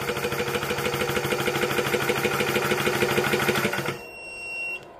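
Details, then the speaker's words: Orcair Thunder 4500psi PCP compressor set to about 4,500 PSI: low hum of the cooling fans that turn on automatically at plug-in, even fast pulsing about three strokes a second, then shutoff; normal, healthy running. "so you can hear the orc air right now that low home that's just the fans that automatically turn on when you plug it in um that's the normal fan there is a secondary fan that kicks on to cool it off"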